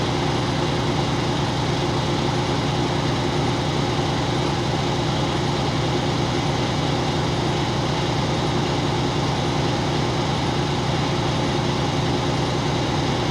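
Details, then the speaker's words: Truck diesel idling during California air brake cutout test: steady even drone as the compressor builds primary tank pressure; normal idle with air compressor charging. "I'm looking at my primary gauge right now and it's slowly moving up remember your cutout test it's not more than 140 PS I looking at that needle and I'm going to call that out as soon as it stops moving"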